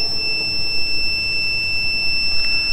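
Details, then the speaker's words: Mercury Force outboard power trim fault, test wire on the trim relay, green lead to hot: steady high continuity beep that breaks then returns as the relay breaks the ground; the relay contacts work. "But, put this in the green, the hot, hear our continuity. Hear it break and then it wrapped. That's because it's breaking the ground."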